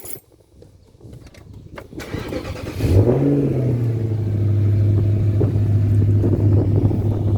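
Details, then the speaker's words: 2009 Nissan Fuga 450GT V8 starting up: quick crank, catches cleanly, revs briefly then settles to a smooth, steady low idle with no ticks or misses; normal start and idle. "Not sure if you guys can hear that, but it sounds fantastic."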